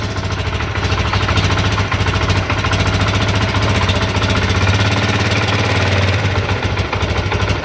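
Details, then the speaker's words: CD70 single-cylinder motorcycle after carburetor cable and idle speed adjustment for better fuel mileage: a fast, even putter at idle with no knocks or misses; normal idle. "तो इसकी ideal speed adjust कर लिया हमने। उम्मीद है इंशाल्लाह इसकी बहुत अच्छी एवरेज होगी इस बार।"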